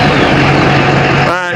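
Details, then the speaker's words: 2012 Ford F350 6.7L Powerstroke diesel, first start after replacing exhaust manifolds (broken bolts had caused a leak and ticking), new gaskets and cab mounts: strong, steady diesel clatter with no hiss or loud tapping, normal start-up. "we uh did all of our repair you'd hear a loud hissing noise or a really loud engine tapping noise and now it sounds like a normal diesel normal Ford 6.7 l"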